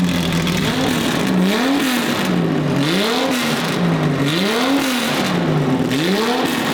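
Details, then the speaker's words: Datsun 280Z fully built L28 on carbs, on a very basic tune: revs repeatedly and drops back to idle, pitch rising and falling smoothly, with smoke burning off fumes and coating. Running normally. "don't mind the smoke it's burning all the fumes and the coating off but uh it's running baby"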